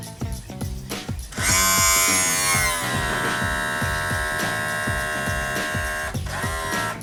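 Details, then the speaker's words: Mercury 200 EFI outboard (1999) on a Champion bass boat, power tilt and trim pump cycled after topping up fluid, motor raised to purge air; steady electric whine easing slightly in pitch; trim pump purging air after refill. "so you want it up in the air when you open this up you if you had it kind of lowered it would be under pressure and you'll hear it this is hopefully going to get some of the air out"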